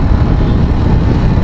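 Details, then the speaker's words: TVS Apache RR 310 after dealer service for high idle rpm, previously about 2,000: idle now around 1,500 rpm, a low, steady rumble with an even beat and no surging or hunting. Normal idle. "so now the minimum our pian rpm is around 1.5 1,500 to be precise which is good"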